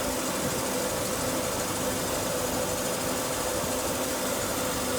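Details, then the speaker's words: 1992 Mercedes-Benz W124 with random overheating, just reassembled with a new radiator, fan clutch, 87°C thermostat and reservoir cap, freshly started cold. Steady, even hum at idle with no knocks or ticks; it sounds settled and running fine. "well we got it all back together just started it out"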